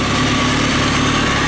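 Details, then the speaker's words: 2003 Kawasaki ZX6R after resetting the timing chain tensioner, idled up to temperature until the fan kicked on: steady, even idle with a light buzzy top end, no slapping or rattle, no smoke; coolant loss is a small reservoir leak; engine sounds healthy. "all right guys so i've been idling now for a while called the temperature fan just kicked on so that's the plus i didn't notice it's not smoking or anything"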